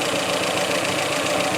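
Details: 1985 Iltis, warming up: steady, even idle with a busy mechanical clatter and no misses or knocks; oil pressure gauge off the scale, temperature fine, 24 V charging; normal idle.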